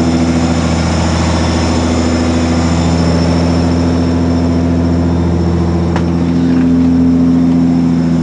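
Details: 1996 Ford Probe GT KLZE petrol engine idling and lightly revved, running unevenly with a sharp pop; began as exhaust backfire at high revs, now misfires under slight revving; plugs changed a month ago, owner suspects old melted, warped plug wires.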